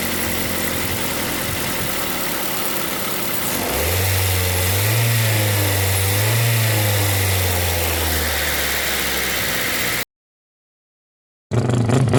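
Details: 2005 Ford Focus ZX3, about 200,000 miles, after fixing the stuck-open intake runner control valve behind the P2004 high idle: even idle picks up cleanly on a brief rev and settles to a steady normal idle without hunting.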